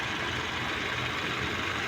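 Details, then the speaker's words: Power steering pump after rebuild with new O-rings, cleaned of debris and fresh fluid, engine idling: soft steady rumble with no groaning or whining, previous humming gone; normal power steering pump. "medyo okay na siya. Yung dati pagka umaandar yan may ingay na um gumaganon umuugong na ingay. So ngayon okay na siya."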